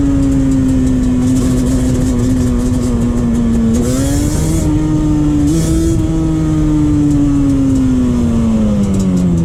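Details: 2001 Yamaha Banshee 350 two-stroke on a POV test ride after new clamps fixed an exhaust leak: sharp, raspy wail climbing and dropping cleanly through the gears under load, no puffing or spitting. Exhaust sealed, strong.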